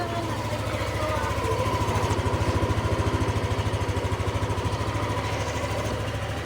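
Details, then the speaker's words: Yamaha NMAX v2 scooter that wouldn't start with a check-engine light after refuelling (owner suspects diesel was pumped), now fixed with the light cleared: steady, even low putter at idle with no misses or knocks; starts and idles cleanly. "Testing ulit. So goods na talaga siya."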